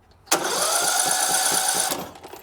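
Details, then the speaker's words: Riding lawn mower cranked with the spark plug removed and a known good battery: starter whines about a second and a half, turning the engine sluggishly. Worn starter brushes are blamed; the starter is to be replaced. "So overall, I'm gonna turn this engine over one more time so you can get an idea, and then we're gonna replace the starter with the new one, and then we're gonna crank it over, and you'll see you should see a pretty big difference."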